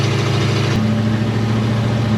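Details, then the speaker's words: 1972 Chevy Nova third-gen project from cobbled-together parts, driving with no power steering fluid: steady engine drone with one clean step in pitch at a shift, no slip or clunk; hits gear hard but drives and shifts well. "All right, well, it's driving pretty good. It's shifting pretty good."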